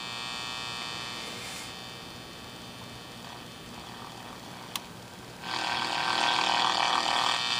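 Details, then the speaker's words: Capehart T-54 vintage tube radio after replacing one mica capacitor: a steady hum under hiss that swells louder, with the earlier crackling and popping gone. The remaining mica caps are suspected of causing the noise, but this is not confirmed. "hum same as before actually it's not as crackly now it's just humming"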